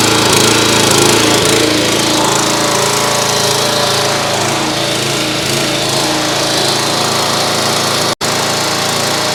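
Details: Simpson/FNA pressure washer, Kohler SH Series engine, after a second ultrasonic carburetor cleaning; it previously wanted half choke. Buzzes at a high, steady speed without surging or hunting, running evenly with the choke fully off.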